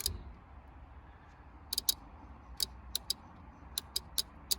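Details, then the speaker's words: 2009 Land Rover Freelander 2 XS air horn install, new relay coil pin 86 earthed by hand as test before wiring compressor: crisp, dry clicks, about ten in five seconds; relay clicking normally. "now if i earth this that will be what should happen to that pin down there we should hear a click there we go"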